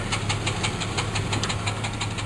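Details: Car with about 137,000 miles at idle: sharp, evenly spaced metallic knocks, about six a second, from underneath over a steady idle. Someone suggested the torque converter; the cause is unconfirmed.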